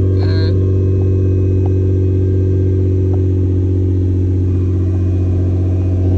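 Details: Nissan GT-R R35 with code P1220 (fuel pump module), which had a no-start from a broken fuel pump fuse, with power at the pump confirmed: engine catches and settles into a steady, even low hum with no misses or knocks; normal running.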